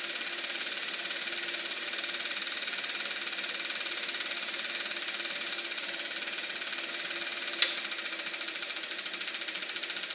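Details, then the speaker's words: Eberspächer B1 gasoline heater from a VW Beetle, bench test-fired with a hot glow plug: steady rapid ticking of three to four per second over a thin hiss, with no combustion roar. No steady flame; cause not confirmed. "Let's give her another shot here and see what happens. Okay, fire in the hole. Well, I'm not hearing a steady flame in there."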